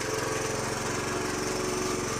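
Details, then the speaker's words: 2007 Honda CT110 that sat for 3 years, on old fuel, first kick-start: busy fast-running single with a dry metallic clatter from the top end. The loose timing chain rattles louder when the bike is leaned over, and an adjustment is planned. "You can the timing chain sounds really loose in there. Lean it over. You can actually hear it rattling."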